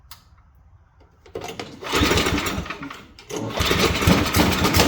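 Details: Simplicity two-stage snowblower single-cylinder engine, bought cheap as a basket case, after cleaning fuel line and adding fresh gas; pull start fires, stumbles once, settles into steady buzzy run, starting normally.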